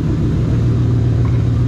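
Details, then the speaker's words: Ford Mustang GT idling after running over a cinder block at 70 mph: a heavy, coarse, dump-truck-like rumble with no clean tone, with the check engine light on. The finding is an exhaust manifold leak. "drove it later on that day just to make sure everything was okay and then it developed a horrible exhaust leak and the freaking check engine light came on yeah sounds like a dump truck"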